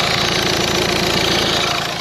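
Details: Peugeot 2008 diesel idling steadily with an even clatter and no misfire or stumble after replacing a failed injector that caused a misfire; no fault codes, no leaks.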